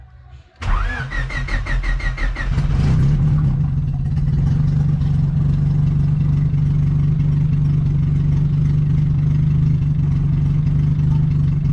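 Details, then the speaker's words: Turbo D15 Honda Civic (Speeduino), first start of the year after reassembly: quick starter chatter, catches and settles into steady idle; a faint unidentified noise in the timing belt area, cause unknown; coolant reading fluctuating, maybe connector corrosion. "Had a little noise in my timing belt area, not sure what that is, but let's fire it up before we call it a day."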